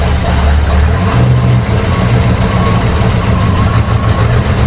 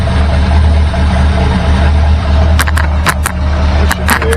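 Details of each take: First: 1964 Ford Galaxie V8 with new plugs, wires, points and rebuilt carburetor: uneven stumbling beat as it comes off idle; timing light showed spark lost, apparently on cylinders six, three, seven and eight. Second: 1964 Galaxie V8 with new points, plugs and wires that was losing spark off idle on cylinders 6, 3, 7 and 8: fairly even, deep idle once the vacuum advance is unplugged. A faulty advance plate is suspected.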